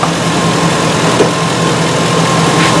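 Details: Ford E350 5.4L V8 van at idle after the misfire repair: steady, even hum with no stumbles or skips throughout. The engine fires cleanly on all cylinders, a normal idle.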